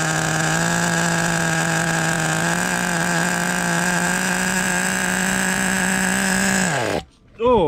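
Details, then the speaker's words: Team Losi XXX-NT nitro RC pickup engine, deliberately run a little rich to get fuel through it; it runs very cool. A high, steady, slightly blubbery drone at constant speed, then it cuts off: rich running. "so this motor I have to run it a little bit Rich because I'm basically just trying to get a little uh fuel through it right there but it's running very cool"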